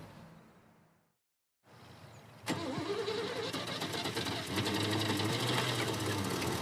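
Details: Vehicle with suspected gunky stuck lifters, solvent added to the crankcase: the engine cranks, catches and settles into a rough idle with busy, irregular ticking and knocking; engine knock, cause suspected, not confirmed.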